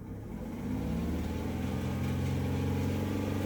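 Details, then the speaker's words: 2008 Chevrolet Equinox 3.4 L V6, almost warm, idling under load with an uneven, stumbling pulse about four beats a second and RPM surge; check engine light, P0300, cylinder 4 misfiring; spark plug, wire or injector suspected. "We got an idle load, but it is misfiring."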